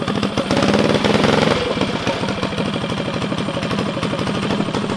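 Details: Stage 4 Tillotson engine on a custom drag mini bike at its first break-in start, loud open pipe: a quick blip, then a steady single-cylinder thump with no knock or rattle. A healthy fresh engine idling normally.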